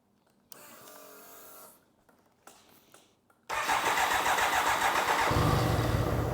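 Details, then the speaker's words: 1993 BMW K100 motorcycle started after long storage with a new battery and new fuel pump; a few clicks, then a loud, slightly lumpy idle, rough running that the owner suspects comes from sitting unused, with a strong smell of old gas. "it's running a bit rough maybe because it haven't ran in a while so smells really bad too"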